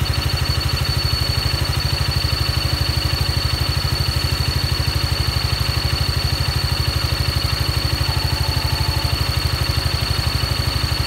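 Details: Yamaha Maxam (Magzam) scooter idling with a steady rapid clatter, about three beats a second, over the low engine hum; abnormal engine noise, cause undetermined.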